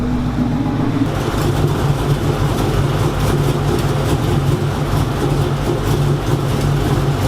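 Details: Freshly rebuilt engine on first fire-up, warming to operating temperature after driver- and passenger-side fix removed ticking: even, steady low rumble at idle with no top-end ticking; sounds healthy.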